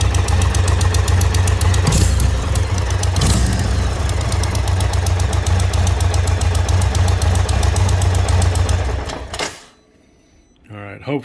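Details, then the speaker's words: 2020 Indian Roadmaster 116, 11,000 miles, idling after a ride: a quick, even tick of about four per second that grew gradually louder, apparently from the front header pipe at the cylinder; owner suspects a blown donut gasket; exhaust ticking. "if anybody's got some insight uh out for a ride today and noticed a very slight ticking noise that gradually got louder so i headed home sounds like it's coming out of this front header pipe on the jug"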